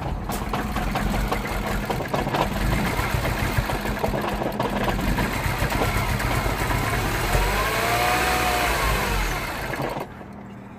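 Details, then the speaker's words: 2009 Mini Cooper S R56, 1.6 turbo petrol, code 2880 high-pressure fuel faults, pressure control duty cycle about 50%, before engine-bay checks. A ragged, surging, stumbling idle: rough idle from low fuel rail pressure. "that's it so as you have seen it runs really bad"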